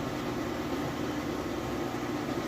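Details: Whirlpool Cabrio high-efficiency washer at high-speed final spin with a very heavy load of jeans and towels; steady even whoosh with a soft low hum, no shaking, rumble or growl, no bearing noise. Normal spin.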